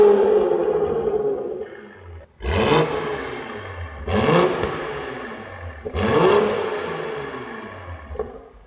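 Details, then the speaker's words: Healthy exhaust on a 90-series (A90) Toyota Supra with a newly fitted GTHAUS GTC exhaust, replaced after the exhaust valve flange snapped: three sharp revs climbing and falling cleanly, deep even note, no rattles or leaks. "That sounds crazy. He almost blew out his eardrums. Guys, the exhaust is crazy."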